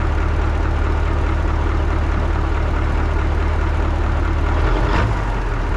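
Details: 1980 Peterbilt 359 EXHD with Caterpillar 3408 diesel, left sitting for years, lights right off; deep steady low rumble settling into an even idle, no knocks or misses, healthy.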